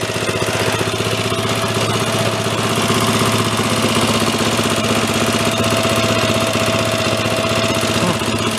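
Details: Ariens snow blower single-cylinder engine, pull-started with choke after earlier revival: fast even putter with auger churning, no misses or knocks; normal running under load.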